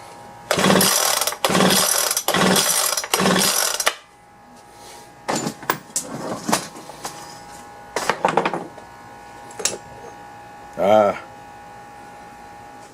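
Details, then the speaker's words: Leaf blower recoil-start attempt with choke: four quick rasping pulls with no firing or catch between them. There is no spark, so it cranks but won't start; compression later read only about 35. "let's see if it'll crank well it doesn't look like it's trying so i'm gonna check for"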